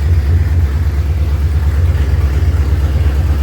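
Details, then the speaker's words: 1970.5 Ford Falcon (Torino), first start after 29+ years sitting with a frozen engine; after fuel apparently picked up from the pump, loud deep steady open-exhaust rumble with no knocks or misses, about 50 psi oil pressure; runs pretty good. "Look at that. Almost 50 pounds. That thing runs pretty good. Kinda."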